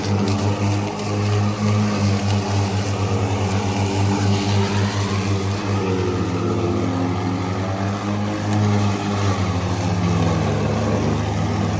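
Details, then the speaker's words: Ryobi ZR3 80V 42-inch brushless zero-turn mower with 14Ah NMC batteries cutting wet grass: low blade hum sagging and wavering as clippings clog the deck and bog the blades; driving slower lets the chute discharge. "And she's clogging it up. >> Yep. >> It's wet and it's clogging. >> Yeah. Try it again. You should be able to hear the blades bogging down."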